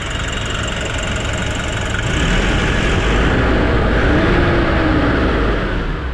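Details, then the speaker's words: Nissan NV350 diesel after replacing the suction control valve, cleaning the EGR and intake manifold, and relearning: steady low idle rumble with no hunting or surging; the earlier rising-and-falling idle and low power are fixed. "so nawala na yyung hihinga hinga yyung idle ng ano ni sir sa NV350"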